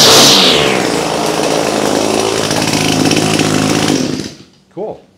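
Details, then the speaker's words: Echo PAS-266 trimmer, resurrected from storage, warmed up after EchoMatic Pro head swap and driveshaft lube: smooth, high, even two-stroke scream held four seconds, clean shutdown; runs great. "resurrected from storage and runs great cool"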